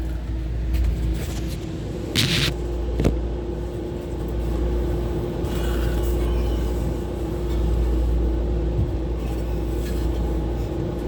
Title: kehe ru 10 condenser fans 1 and 3 bad bearing